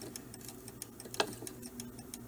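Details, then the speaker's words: Seth Thomas fifteen-day clock, circa 1918, after cleaning, adjustment and fresh lubricant and spring grease: quick, even tick-tock with steady spacing and no skips; movement beating normally. "okay so I will let you see me put the put one of these set screws back in you actually might be able to hear it tick"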